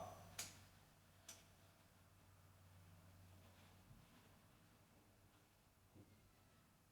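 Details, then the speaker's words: Anko 24L air fryer oven on air-fry mode; mostly quiet with a few isolated sharp clicks at no steady rate, like a relay switching the heater on and off. Cause unknown. "Ignoring all the sounds in kids outside you could hear that really clicking on and off before Something in there is making like a let's get it"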